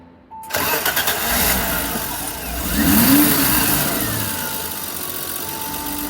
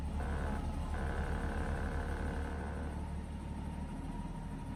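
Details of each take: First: 1989 BMW E30 325i six-cylinder, warm engine with rough/surging idle: restarted with gas, idle control valve unplugged, revs flare then settle to steady normal idle; plugging ICV back in stalled the engine, pointing to the ICV. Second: 1989 BMW E30 325i inline-six, cold start after sitting several days: on start it dipped and stuttered briefly, then steady idle about 600 rpm, smooth even hum with no misses or knocks; normal cold idle (the rough-idle fault shows only when warm).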